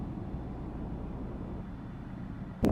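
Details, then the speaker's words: Chrysler with code P2173 vacuum leak, earlier misfire and shaking, after repair and throttle relearn: steady even low rumble driving about 60 mph, no vibration, misfire or check engine light. "Ayan guys, tit-testingin muna natin kung talagang ayos na. Wala na yung vibration ng makina at wala na yung nagpa-flash doon."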